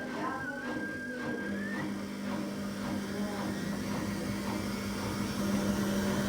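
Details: 14-year-old Samsung washer on high spin (about 1000 RPM) with a super unbalanced load: steady low hum with a rhythmic thump about three times a second and weird squeaking; owner suspects worn bearings, not yet tested empty.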